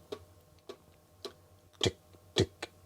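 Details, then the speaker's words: Non-working Commodore Plus/4, powered through a step-down converter from its 110 V supply, power LED on but no video signal: quiet room with sharp irregular clicks about twice a second, scratchy ticking; cause unknown. "I can hear some uh scratchy noise."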